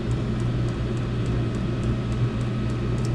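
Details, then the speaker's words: Diesel heater cranked up to its maximum setting and kicking out heat: a steady, even low roar with a constant hum and no knocks or surging; running healthy on full. "Yeah, she's kicking out some heat. Hey, that's good. I'm gonna maybe crank her up and let her run here. Yeah, that's maxed."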